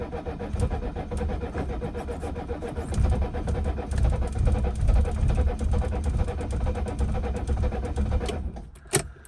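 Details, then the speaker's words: 1976 Mercedes-Benz 300D diesel, low miles, sat unused, cranking after injector lines were cracked open to bleed fuel; starter grinds with uneven firing catches underneath, nearly starts but won't run; partial fuel delivery, owner suspects clogged filters. "This is as close as I gotten it to starting, I think."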